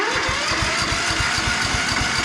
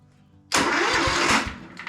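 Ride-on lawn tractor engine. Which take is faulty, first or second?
second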